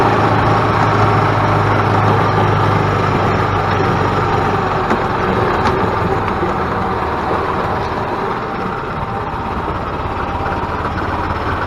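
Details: 2000 Yamaha G16 golf cart on its first test drive after an engine rebuild; it had been making a very loud racket and would not go. Steady, even engine drone under load with no knocking or misfire; pulls smoothly with good power.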